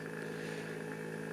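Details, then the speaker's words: Knockoff Pierburg BMW electric water pump, PWM turned down to about 10% duty: soft steady hum with faint high whine, smooth; running slowly, barely audible but still turning. "It's running slower and slower and slower and slower and slower all the way down to a point where you won't be able to hear it anymore. I can feel that that's still going."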